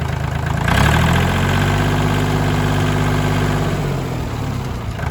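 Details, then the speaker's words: Kubota L2550 diesel tractor after clearing tank debris blocking fuel, blowing out fuel line, refilling and priming; steady idle with even knock about four beats a second holding speed: normal idle. "Now that it has fuel flow, it's happy. Ready to do its job again."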